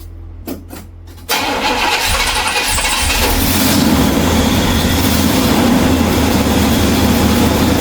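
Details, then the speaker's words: 1969 Pontiac GTO V8 after new points, distributor cap, rotor, plugs, fresh gas and Seafoam, in enclosed space: short crank, catches at once, steady even idle with no misses or knocks. "poured some fresh gas in her and a little bit of seafoam, and she's running smooth like a dream."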